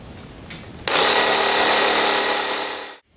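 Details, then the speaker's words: Tubeless motorcycle tire with beads seated, being filled to 36 psi: a small pump kicks on and holds a steady, even high-pitched whir with no stumbling; normal inflation. "So we'll fill this up to 36 psi, and then we'll talk about a couple other things."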